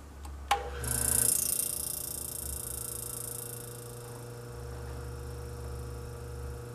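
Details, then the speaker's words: Antique Frigidaire 5400426 fridge compressor first start after service port install, rewiring and test refrigerant charge with a little oil: click, then low steady hum, no rattles or stalling; current fell from 3.2 to 2.3 A. "Current's a little bit high, but it's running. Going down, that's good."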